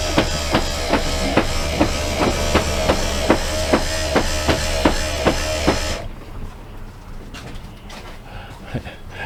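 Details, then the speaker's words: BAL Accu-slide RV slide room run in after adjusting cable tension: heavy thumps about two per second for six seconds, then quiet; the room jerks in because it sticks on the bottom, and silicone spray is planned on the bottom. "This is one of them slide rooms that's sticky on the bottom. Says jump, jump, jump, jump, jump, jump."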